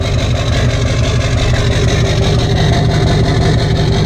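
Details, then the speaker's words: Wrecked rollover rebuild diesel started after a long sit, newly wired, small brake fluid leak, rough fan; steady even idle about three beats a second, no misses or knocks; normal idle. "come on big girl there we go she cleaned up good morning it's been a long nap hasn't it"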